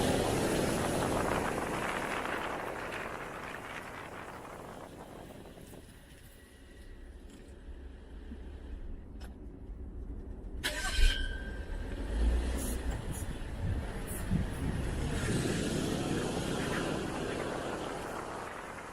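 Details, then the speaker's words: BMW N55 engine after replacing front and rear crankshaft oil seals for a whistling/squealing noise caused by crankcase pressure leaking past the seals (SI B11 03 11); on the test drive it pulls away smooth and even with no whistle. Fixed. "I would say that's fixed"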